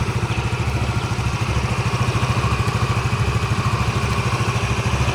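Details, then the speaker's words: Yamaha Mio MXi 125, one month after overhaul with new connecting rod, cylinder block and side bearing, started with one press: steady low idle chug about eight pulses a second, no knock, rattle or misfire. "Yan, one click lang. So ito yung andar ng kanyang makina."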